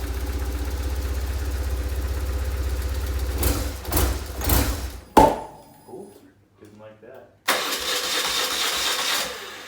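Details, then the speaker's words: BMW R850R motorcycle, after fuel pump work: long rapid, even starter cranking without catching, then a brief fire; previously would only start with carb cleaner sprayed in, fuel pump issue suspected. "let's see if she fires up because it would crank for days and nothing unless i sprayed goo in there or um carby cleaner you can hear the pump"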